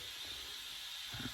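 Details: GMC General truck that would not build more than 40 psi of air pressure, after work proving the compressor good: a steady, thin, unchanging high hiss of compressed air escaping from one small remaining brake-system leak.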